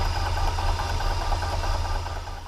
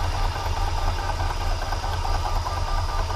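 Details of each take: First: Milling a metric keyway in a new gearbox shaft with an end mill: low steady hum with no rattle or squeal; the cutter runs clean once past the 1¼-inch diameter where it chattered earlier, a smooth cut. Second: Milling a metric keyway in a new gearbox shaft with a big end mill: steady drone with a rough buzzing rattle of light chatter, which should clear up once the cut passes about 1-1/4 inch diameter.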